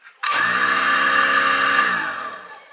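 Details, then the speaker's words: Moen GXP59c Pro garbage disposal newly installed in a sink that never had one, switched on with the STS-00SM air button: a sharp switch-on into a steady high whir for about two seconds, then a smooth wind-down; the disposal runs normally. "So, theory has it that if you hit this button, it'll come on. So if you hear a big whir, let me know."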